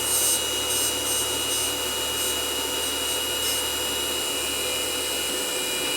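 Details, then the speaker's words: Sony DNW-A30P Digital Betacam deck damaged in transport; constant harsh scraping hiss from the spinning drum assembly, slip rings suspected possibly knocked out of place by an impact, not confirmed: rubbing noise from rotating head assembly. "I don't think that thing's supposed to be making that kind of Racket wonder what's under this cover should just be slip rings but the amount of noise they're making just doesn't sound right"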